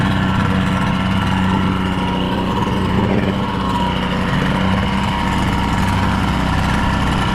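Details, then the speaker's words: First test run of a rebuilt 1976 Mercury 650XS race outboard, back after sitting 20 years, on a 13ft Delta T850 race boat in rough water on Kempenfelt. It starts well and holds a steady, even idle with no stumbles or knocks: normal idle. "I know that someone, like, I've heard that this motor is half of a T2X, but that seems to run and idle perfectly fine."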